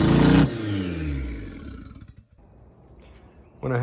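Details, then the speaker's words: 1990 Mazda Miata after sitting 7 years, cold first start on fresh fuel with rebuilt injectors: flares, then revs sag and nearly stall before being caught. Idle won't hold; no idle air control valve fitted. "going to up the idle a little bit just because we don't have a idle a control valve or anything so going to up it up just a little bit and then see what happens once it warms up fully"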